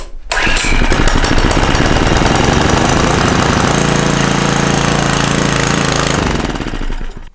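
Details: Small gasoline engine running on hydrogen from homemade water electrolysis cell, pipe re-secured, mostly water exiting exhaust; pops along roughly at about four beats a second, uneven and missing.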